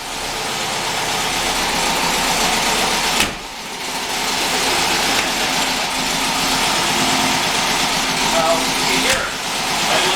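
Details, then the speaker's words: 1969 VW Type 3, fuel-injected air-cooled engine with no cold start valve, cold: busy, clattery idle with slight dips and surges; uneven cold idle that smooths once warmed up. "They're really there's no cold start valve on it. There's nothing like that. But once it gets warmed up, it idles off."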